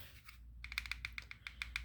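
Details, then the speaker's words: Smith & Wesson M&P M2.0C Optics Ready pistol during dry-fire practice: a quick light ticking rattle, about seven or eight clicks a second. The cause was a loose optic mounting plate; held firmly, the plate did not rattle. "so you hear that little rattle so come to find out my witness Mark if you can see still good and held the plate and it didn't rattle"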